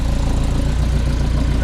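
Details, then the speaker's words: Dodge D50 with G63B engine, header and Weber-type carb, timing set about 10 degrees, battery charged: steady low idle with rapid even chuffing each firing pulse under fan noise; sizable exhaust leak, location unknown, plus a vacuum leak noted. "got it fired up and sounds all right a little exhaust leak it sounds like it's hard to tell with the fan like that"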